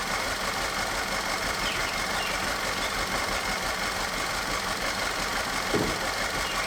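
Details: Audi direct-injected engine after retiming and camshaft replacement, restarted after arriving with no compression: rough idle with loud clattering under the hood; scanner reports cylinder 4 misfire, owner suspects broken rings/blow-by or valve-damaged injector on #4.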